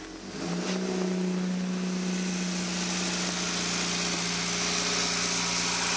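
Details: Toyota MR2 2.0 L 16-valve after repair of a no-start caused by the O2 sensor wire chafing on the body and blowing the 15 A EFI fuse; wires taped, fuse replaced. Engine catches within a second into a steady idle with no misfire, knock or hunting.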